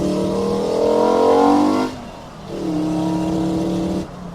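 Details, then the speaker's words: Five-cylinder-swapped Mk2 VW GTI in a hard pull, fuel gauge in the red; the engine pulls, then sags and cuts out twice. Owner suspects fuel starvation or a fuel pump that has come loose, unconfirmed. "it's breaking up I think we're losing fuel I could be wrong but I I think we need more fuel"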